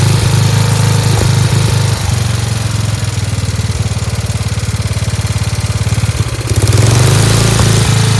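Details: Free Dayton lawn tractor with 11 hp Briggs engine, running on its own after choking: quick, even firing with a steady beat and a brief dip midway; idling a touch fast, a spring disconnected; runs cleanly.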